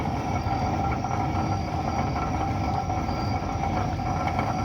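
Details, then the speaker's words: Truck rolling under 10 mph: constant heavy roar underneath, far louder than tyres, from very badly worn wheel bearings. "your wheel bearings definitely should not roar like that never the question is when you own a vehicle it has bad wheel bearings like this how do you not notice it making that much racket"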